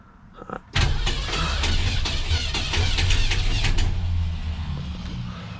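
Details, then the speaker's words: 1967 Ford Galaxie 500, run earlier on bad gas and already bent a pushrod, cranked on new tank with fuel squirted in the carburetor: harsh, uneven clattering thumps, then a rough low rumble. Loud abnormal cranking noise, owner suspects another bent pushrod, unconfirmed. "what in the heavens did i just bend another pushrod what made all that noise what in the world made all that noise did y'all hear that noise"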